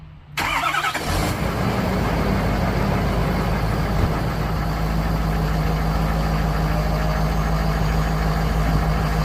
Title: 6.7 powerstroke turbo whine on cold start